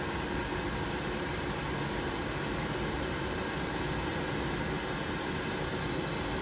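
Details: Worcester Greenstar Ri gas boiler, told it needed replacing, fixed by adjusting air/gas ratio without parts: steady, even burner roar with fan hiss, no surging, popping or cutting out; firing and holding on minimum.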